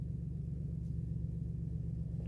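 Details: 2007 Dodge Caravan 3.3 V6 after long crank, check engine light back with P0202/P0302: deep, lumpy idle with pulsing low thrum and uneven beat; cylinder 2 dead, its injector not firing.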